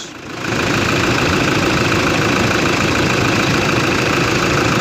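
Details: Toyota Hilux D4D diesel after repair of an unbearable noise at the alternator belt, traced to the pulleys and alternator removed: idles with a steady clatter, no belt squeal or chirp, belt now quiet; normal idle.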